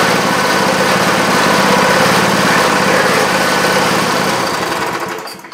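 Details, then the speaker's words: Parmi Lazy Boy single-stage snow blower with a 3 hp Briggs & Stratton engine, started after a few pulls: a brisk, steady putter at constant speed, then winding down at shutoff; running healthy. "well looks like we're ready for winter finally that's awesome"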